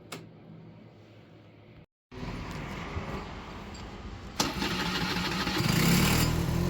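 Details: Aprilia SR50R Piaggio Ditech scooter, in snowy weather, after clearing ECU error codes and resetting the throttle position sensor; warning light stays off; even buzz then smooth pick-up to higher pitch, no stumbling or cutting out.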